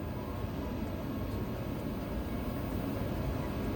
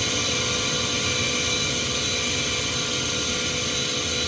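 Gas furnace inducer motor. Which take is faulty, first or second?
second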